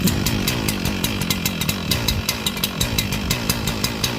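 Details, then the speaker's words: Echo CS-4910 chainsaw just cold-started at about 2° with -10 wind chill: uneven, stumbling two-stroke buzz with irregular bursts about four to five a second; rough cold running. "She's trying. It's cold. Got her going. She does not like it."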